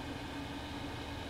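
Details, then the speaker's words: Propane burner with quartz and stainless tube, flame being brought back up: steady mid-pitched drone over burner roar; owner suspects flame front vibrating the pipe; resonance hum, unconfirmed. "hopefully bringing it back so maybe the flame on the flame front is vibrating the pipe yeah that's what that's what we were hearing"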